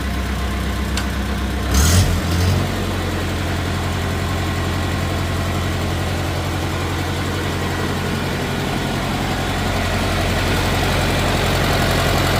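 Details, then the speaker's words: 1950 Farmall Cub, first start after engine rebuild with pop-up pistons, idling: a faint quick tick, tick at about four per second from two loose exhaust manifold bolts leaking; tightening both bolts cured it. "you heard that little tick, tick, tick, tick, tick sound. The exhaust manifold, these two right here were just a little loose, so I had to tighten these both up."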